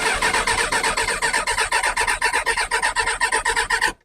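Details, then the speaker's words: Kawasaki ZX6R G1 first start attempt with new battery and choke on: starter cranks about four compressions a second for four seconds without catching, with a bang; the oil light goes off; owner suspects a carb-related fuel shortage or wrong mixture. "the oil pressure light goes off but you see you get that bang which makes me think some fuel's getting through but not enough or the right ratio something's going wrong"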